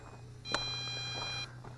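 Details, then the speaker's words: MJX Bugs 8 Pro 250-size brushless FPV drone on a 3S battery, after about 8.5 minutes of flight: a single high, steady electronic beep of about a second, the low-battery warning from the quad and transmitter; no more flips, time to land. "I'm here beeping coming from the quad copter and I'm here beeping on this so let's tell it and I couldn't do any more flips so it's time to land this thing"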